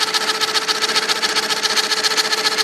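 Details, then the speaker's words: IBM Selectric II correcting typewriter: steady high motor hum with a fast fluttering buzz; the cracked centre hub spins while the operational shaft stays still, so the hub is slipping and the machine freezes when a key is hit. "So what's happened now is that hub is spinning and the operational shaft is not. This should be turning and it's not. So that hub is flipping. That hub is like this hub, and that crack just caused this to slip."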